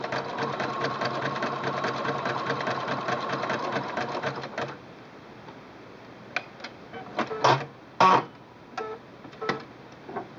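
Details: Singer Quantum L-500 sewing machine, widest 9 mm zigzag at 3.0 length: quick even needle chatter about five seconds, then stop and a few light clicks; normal zigzag stitching.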